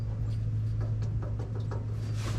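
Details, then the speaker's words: Ford 8.8 limited-slip differential swap, pinion rocked by hand while the pinion nut is tightened gradually with an impact: light irregular clicks over a low hum. There is still slop and it turns too easily, meaning excess pinion bearing end play. "Still got slop. Still a little slop, you can hear that, and very easy to turn, no real resistance. A little resistance to turn, but not really. Still click, click, click, rocking it back and forth."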